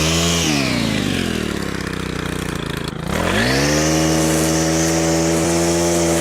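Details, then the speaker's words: Stihl FS100 4-Mix brushcutter after service, fresh fuel and throttle cable adjustment: engine dips, then climbs cleanly to a high, steady scream and holds wide open throttle without stumbling or dying. Running strong and healthy. "Right, as you can hopefully tell, that has made a dramatic improvement to how this Stihl FS100 runs. It's running really well now."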